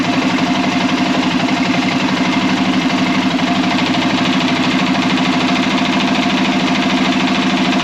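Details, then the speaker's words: Arctic Cat Prowler engine just rebuilt with new pots (cylinders), first start after priming the carb: steady, even idle with a smooth regular beat, no knocks or misses; running healthy, though air in the system still needs bleeding. "Alright, she's running. 1,000 gear. Seems to be working good."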